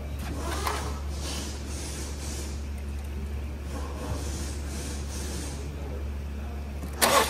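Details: 2019 Ford Escape idling after thermostat and head temperature sensor replacement, while the cooling system is bled of air: low, steady hum with no knocking, ticking or misfire; smooth, even, normal idle.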